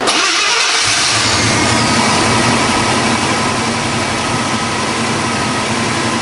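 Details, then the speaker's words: 1974 International Scout II, 304 V8, 727 Torqueflite automatic, dual exhaust, cast manifolds, under hood: catches quickly, settles into steady even burble with smooth throttle blips; normal cold start and revving. "We're going to go underneath the hood. We'll fire that 304 motor up, let you hear exactly what that sounds like next."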